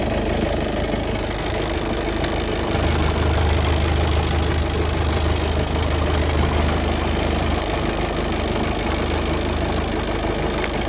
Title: Bruit moteur golf 7 2.0 litre automatique volant moteur